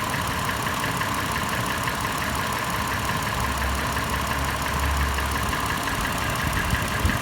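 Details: Toyota FJ, warm start, idling: fast light metallic tapping about three per second over steady hum, faster in park and neutral, slower under load in drive; clatter became slower, sharper knocking as it warmed; also marble-like rattle decelerating below 1800 rpm. Cause unknown.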